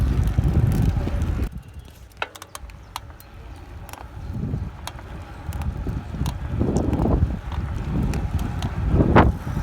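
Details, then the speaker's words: Cannondale CAADX 105 SE 2018 cyclocross bike, size XXL (61 cm), ridden on the road, about 2000 km over one year: sharp, irregular creaks and clicks come with each pedal stroke over road and wind noise. "This is not possible with this bike anymore because it's creaking the hell out of the place, so everyone can anticipate me coming up to them, like racing them, like challenging them."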